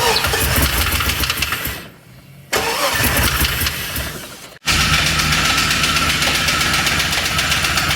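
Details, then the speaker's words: LS 6.0 L V8 (4L80E) donor van after adding a custom air intake with MAF: rough running with hard uneven rod-knock rattle despite about 50 psi oil pressure; revved to about 3000 rpm, it threw a rod, holing the block or oil pan. "it still doesn't run saying sounds like it's got a box of rock sounds inside of it"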